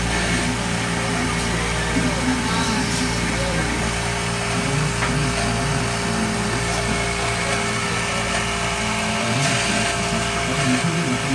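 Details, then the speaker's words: Hoshizaki KM630MRE ice machine, 2009, R22: the water pump motor gives a steady hum with a rough, gritty whirr at constant speed. Its bearings are worn out. Evaporator separation is still to be checked before the pump is replaced. "definitely the bearing have worn out"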